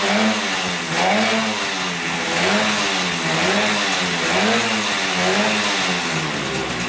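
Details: 1971 Yamaha CS200 twin two-stroke, sat over 17 years, recently revived: rough, lumpy revving rising and falling about once a second, never smoothing out; owner suspects one cylinder not sparking; later spark found, left cylinder 125 psi compression.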